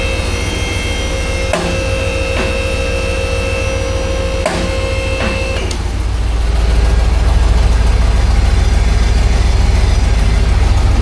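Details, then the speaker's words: Roughly 2005 Chevrolet Silverado 2500HD 4WD, 6.0L V8, idling in drive with wheels off the ground: a regular throbbing knock about three times a second from underneath, and the transfer case shakes from the tail shaft. Likely a bad U-joint. "not back here. That got a bad u-jint. Look at that transfer case shaking. See it? The whole thing is shaking back and forth, back and forth, back and forth from the tail shaft. I think this thing has got a bad U-jint."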